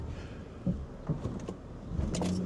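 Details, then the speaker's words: 2013 Honda Ridgeline 3.5 AWD on road test: a couple of dull thumps from the front end pulling away from a stop, something shifting under load; mechanic suspects control arm bushings, unconfirmed. "Oh yeah. Yeah, there's something in the front end moving. Bet you dollars to donuts it's control arm bushings."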